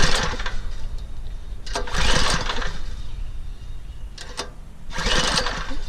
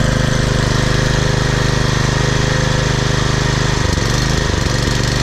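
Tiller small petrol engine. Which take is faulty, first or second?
first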